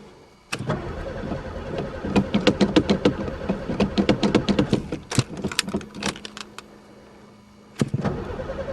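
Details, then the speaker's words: Pontiac not run for three years, primed with gas dumped in the carb, sticky throttle: starter cranks in uneven bursts, about three turns a second, retrying, but never catches; owner suspects no spark, chewed wires or broken fuel lines. Crank, no start. "Don't tell me this one's got no spark, too. It's even gas dumped in it."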